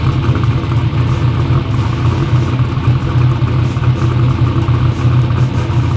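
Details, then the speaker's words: "Black Sheep" V8 race car holds a loud, deep, steady, even lopey idle with no misses or knocks; runs good after injectors fixed EGT problems, front and rear main seal oil leaks still pending. "Yeah, no, if it stops the oil leak, I mean, we got it to where it runs good. Those injectors fix the EGT problems."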